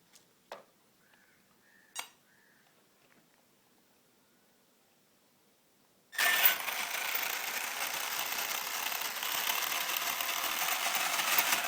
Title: Grinding noise on my savage flux hp